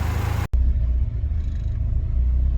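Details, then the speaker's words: 1991 Honda Civic hatch with a swapped B16A engine idling while warming to operating temperature for the thermostat to open; deep steady idle rumble holding after a brief cut, no misfire or knock; normal warm-up idle. "All right, she's running, she idles really well. We're just waiting for it to come up to operating temperature."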